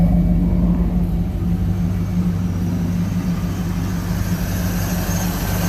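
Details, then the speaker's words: 1973 Ford Maverick restomod, fuel-injected 302 V8 with cold-air induction, idling around 800 rpm with almost 60 psi oil pressure. Deep, even exhaust rumble with no misfire, tick or knock: normal idle. "Idling right around 800, I would say. Listen to this exhaust. Sounds good."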